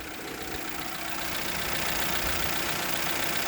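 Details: Hyundai 1-liter engine after adding about 3 oz engine restorer to the oil: even, steady idle with a soft regular tick under a hissy background; runs smoothly with no heavy knock.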